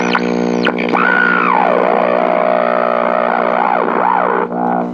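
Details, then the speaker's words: GE H 500/H 500U AM tube radio on first power-up. A steady low buzz sits under sweeping squeals and whistles while tuning. Heavy hum, suspected to be from bad power-supply filter capacitors. "So wow, holy crap, have I actually run into one of these radios that had bad filter capacitors? I think so. This is probably almost the first time."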